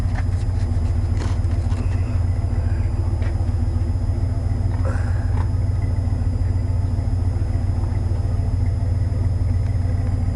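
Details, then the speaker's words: 1990 Chevy K5 Blazer, 350 5.7 V8 originally TBI with Crane cam, still cold, being revved; deep, steady, even rumble with no knocks, misses or rattles; running great. "a like I said she's still cold but she's still running great man let me tell you"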